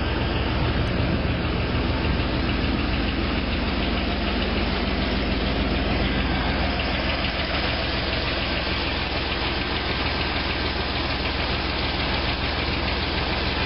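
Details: Chevrolet Corvette C5 Z06 engine at steady idle with a hollow, fairly even knock about three per second over the engine note; piston slap.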